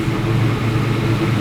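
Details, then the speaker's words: Sandman panel van V8 at first successful start: deep, steady, even idle with no misfire or stumble. After two days of no-fire, trying coils, plugs, floats and idle mixtures, the fault was ignition leads fitted out of firing order, now fixed. "Finally! So, what was the problem? The firing order was way out of whack."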